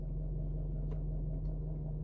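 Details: 2012 Range Rover Vogue SE 4.4 TDV8 diesel at idle in park, stationary, wheel untouched, heard inside the car: quiet, even low hum with no clicking or ticking. Normal idle; the owner's clicking appears only when steering right or in reverse.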